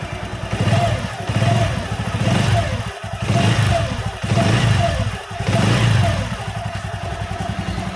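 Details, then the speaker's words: Honda Megapro single-cylinder bike after fitting a new GL Pro CDI timing chain, engine not yet warm: thin whine rising with each of about four revs. Owner says the whine will gradually disappear. "Nah, suaranya seperti ini Kang Bro. Masih kencang memang, ada suara ngiung saat digas."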